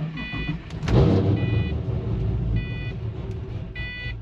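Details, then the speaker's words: Pontiac GTO with unresolved gremlins and soft brakes: engine fires with an uneven low rumble and surge, chime beeping over it, struggles then cuts out; rough struggling start, cause unclear. "so that's what it does it'll start it'll struggle and then it's cuts out"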